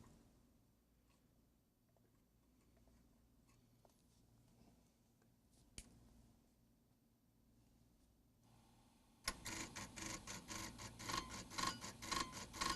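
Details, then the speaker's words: Tandon TM100-2A floppy drive: quiet ticks then rapid buzzing stepper chatter, about two bursts a second, head seeking without finding track 0; owner suspects the track 0 switch or end stop position, testing by pulling head off the switch. "So there it fails to hit track 0, but if I pull it just off of the switch and then run it, no, off around."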